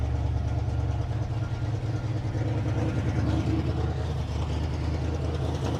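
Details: 1957 Dodge Texan after first start from sitting since July 2023: low uneven loping idle; carburetor squirting from only one jet, probably a huge vacuum leak because its body is loose on the base.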